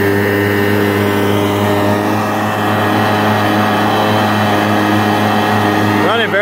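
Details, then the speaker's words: 1999 Yamaha SUV 1200 with SBT engine, after carburetor repair, first load test: even steady two-stroke drone at constant pitch under throttle, no misses, knocks or hesitation; running smoothly. "well sounds smooth that's him just leaning on the throttle"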